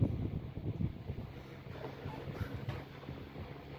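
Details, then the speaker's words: 1910s desk fan running after its bearings were lubricated; a soft, even low hum with a slight siren-like tone and steady air rush, no rattle or scrape, as it should run. "That's perfect. Sounds like a siren a little bit. There we go, that's perfect, that's how it should be."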